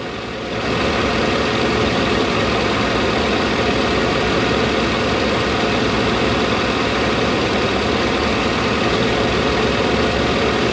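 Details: 2008 Chevy Avalanche V8, idle-only misfire with P0300: steady idle with faint uneven stumble breaking the rhythm; cylinder 1 dominant, traced to a spark plug with cracked porcelain.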